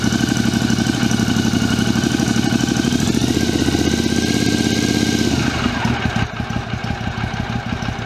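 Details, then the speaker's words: 2006 Triumph America after patching a cracked five-piece airbox lid: steady, even thump of idle pulses, no misses, rattles or hiss; air disturbance felt at intake; normal idle. "Well, that sounds pretty good. I can actually feel some air disturbance there."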